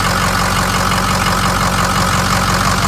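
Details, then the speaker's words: 550 bucket truck diesel at idle after oil pump work, oil pressure switch unhooked: steady, even low chug about two pulses a second with no popping or misses; suspected popping was not confirmed, and it sounds healthy. "no no it sounds all right he might have some more life out of this thing who knows"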